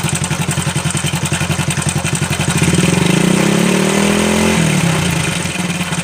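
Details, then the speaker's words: Honda Supra Fit New at idle: rapid clattery ticking about four per second, rising with a brief rev, then settling. Abnormal noise inside the engine, cause unclear. "Sini katanya ada terdengar suara aneh di dalam mesinnya."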